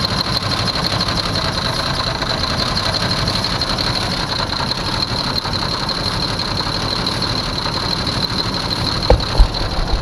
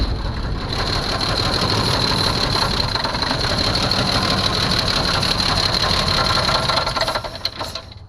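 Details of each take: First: 1982 Jeep Cherokee with carburetor, first start in years after sitting, running on brake cleaner sprayed into carburetor: fires up and settles into steady run, no obvious knock or misfire; fuel system later found clogged. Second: 1982 Jeep Cherokee, not run in years, fresh fuel added and no fuel yet in the glass filter: uneven, stumbling run with an irregular beat that sags and fades out at the end. Rough running from fuel starvation; oil level checked fine.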